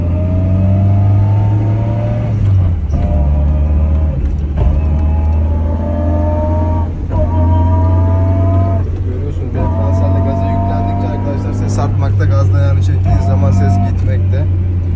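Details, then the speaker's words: Tofaş car with differential humming complaint: howl rising in pitch under throttle, dying when the pedal lifts; worn ring and pinion gear, to be fully replaced. "bu aracın diferansiyelindeki arıza ayna martı dişlisi gitmiş arkadaşlar. Gördüğünüz gibi çok fena bir şekilde ses yapıyor."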